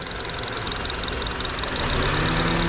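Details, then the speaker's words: 2010 Honda CR-V after used-engine swap, with used AC compressor and used belt reinstalled and line purged; steady idle, faint load tone rises as compressor engages, engine holds speed without stumbling; normal idle with AC compressor engaged. "all right so we're gonna turn this compressor on now let's see if he was telling the truth"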